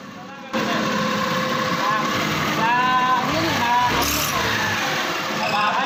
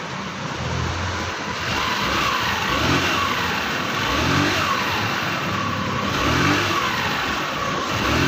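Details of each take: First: Scooter CVT before repair: short chirpy mouse-like squeaks come and go as it pulls, clutch linings squealing on a glazed clutch bell; the bell is then roughened with 60-grit sandpaper. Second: Scooter CVT after repair, cover back on: throttle blips every two seconds rise and fall smoothly with no rattle, grinding or judder; the earlier mouse-like squeak from the transmission is gone.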